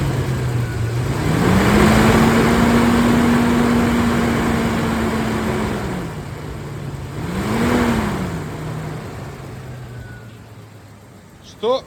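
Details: Suzuki Grand Vitara XL7 H27A engine; deep, steady drone that rises in pitch and loudness with revs, then settles back at idle. Owner suspects the motor, coupling or fan; cause unconfirmed.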